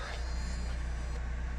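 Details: Renault Scénic 3 rear wiper after spraying white grease on the motor mechanism behind the tailgate trim: quiet, even motor hum with a soft steady pulse and no squeak or groan; operating normally after the fix.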